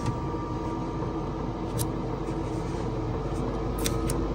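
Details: Newly installed diesel heater in a VW T4 van on setting 20, cold and warming up: steady rushing fan with faint even hum, running a bit fast until it warms; operating normally.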